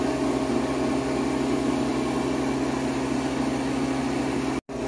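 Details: New Harvest Right freeze dryer on its first bread run, freezing stage just over 2.5 hours in at -22°F, shortly before drying: steady even hum, constant low drone, no knocks or rattles; operating normally.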